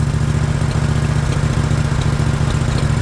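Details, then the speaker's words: Countax ride-on mower V-twin engine, bought to fit into a Stiga Park Pro, running: even, loud, low-pitched firing beat with no knocks; engine healthy, only the exhaust is noisy. "There we go, look. Oh, it's nice, apart from the exhaust."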